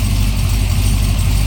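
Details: Supercharged Corvette C6 first start after major rebuild, fuel pressure around 56: loud, deep, even idle throb with steady rhythm and no stumbles or knocking; engine running healthy.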